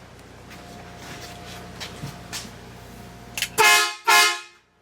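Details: 1966 Chevy truck with newly fitted air horn and air bags, after a loose fitting leak was tightened: two strong, full horn blasts with clean steady tone and no hiss between them; air horn working properly.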